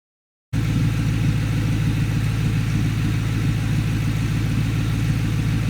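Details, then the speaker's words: 2003 Mustang GT V8, automatic, after refitting the cat and mid-pipe with no catback (open exhaust): loud, steady V8 burble with no ticking or puffing; normal running, no exhaust leak. "So I was worrying that it was going to have an exhaust ticking leak, and so when I did fire it up, I was very pleased to find that there's no exhaust leak."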